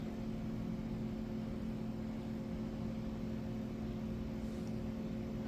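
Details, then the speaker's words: Atari Tempest (1981) color vector monitor after replacing the frame transistors and making a new regulator harness. Deflection is tested without high voltage: a steady, even buzzing chatter at one fixed tone, which is normal and shows the deflection works. "we're going to see if the deflection is working it should work without the high voltage we'll hear it chatter"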